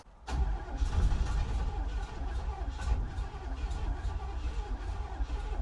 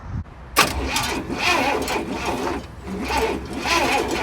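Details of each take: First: 1967 Cadillac Calais V8, sat 27 years, cranking after starter replacement with little or no fuel: brisk, even, healthy cranking with no fire; turns over much better than before; owner suspects the exhaust may still be clogged. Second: 1967 Cadillac Calais sitting 27 years, power confirmed at both sides of the coil: starter churns in uneven bursts, never fires; spark tester shows no spark, distributor points suspected oxidized and to be cleaned.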